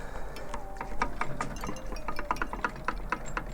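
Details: BMW E46 rear differential on the bench, pinion rocked by hand: sharp metallic clacks, about three to four a second, from backlash between the pinion and ring gear, not from worn spider gear washers.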